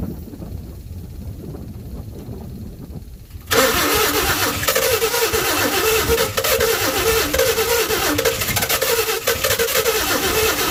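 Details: 1952 Chevy with new Autolite plugs, carburetor filter off, gas poured down the carburetor: the starter kicks in and churns steadily at about three beats a second, never catching. It cranks but won't start; the owner suspects low compression from seized rings and a weak fuel pump.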